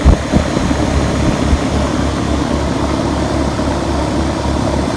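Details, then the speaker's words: 2003 Ruud condenser with TXV, running about five to seven minutes after repairing a freon leak where copper lines rubbed a hole: steady low, even hum from compressor and fan, quiet and smooth; normal running. "running real smooth that's why I didn't mind repairing this thing I mean you can hear it it's actually pretty quiet"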